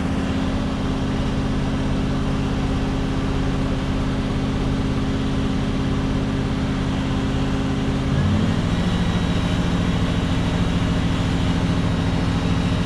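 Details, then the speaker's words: 1967 Ford Galaxie 500 with 289 V8, restarted after the first start: a deep, steady V8 burble with an even beat and no knocks or misses, idle lifting slightly. It runs smoothly, though smoke, thought to be power steering fluid, came off the manifold and there appeared to be a slight water leak. "Okay, so Let me start it back up. So as you can hear, it runs real smooth."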